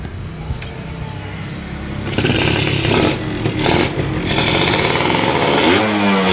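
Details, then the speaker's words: F1ZR 110 two-stroke with original ignition, coil and carburettor: with the air filter rubber boot removed it revs up quickly and cleanly in repeated blips; with the boot fitted it bogs and won't take throttle. "tapi kalau dibuka karet filter udaranya motor bisa digas enteng jadi kendalanya di mana"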